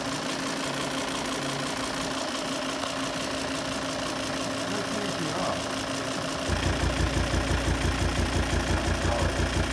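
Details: Volvo V70 engine after full throttle burst, throttle jumping 20% to 35%: note changes to steady low popping about three pops a second; cause worn hydraulic tappets on cylinders 5-6, replaced and running sweetly.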